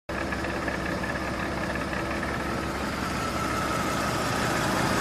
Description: Here is my '88 Ford F150 idling after repairing vacuum leaks.